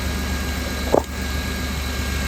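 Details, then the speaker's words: 2000 Chrysler Town & Country/Dodge Caravan 3.3L/3.8L at idle after serpentine belt tensioner replacement (belt had shredded): steady even hum with one brief click, no squeal or chirp; tensioner sits straight, belt drive healthy. "sight down the side of it just like that and that tensioner is straight just like that that's how you gauge it"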